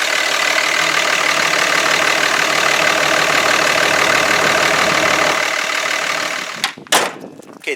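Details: 5.9 Cummins diesel pickup idling on a cold day after a fuel filter change; even, steady diesel clatter with no misses, knocks or hunting, running normally.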